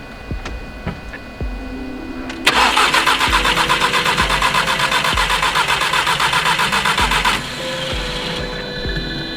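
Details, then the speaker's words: Golf R that sputtered and died on the freeway with a stuck-open, fuel-leaking injector; fuel was mopped up and the spark plugs refitted. The starter cranks at about four beats a second for five seconds and it never fires; no spark is assumed, and the fuse is suspected. "Well, I get no, what I'm assuming is no spark."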